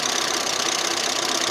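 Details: Audi 80 B3 at idle: fast, light, even ticking over a steady idle like a sewing machine; hydraulic lifters suspected, likely clogged, to be disassembled and cleaned; not confirmed.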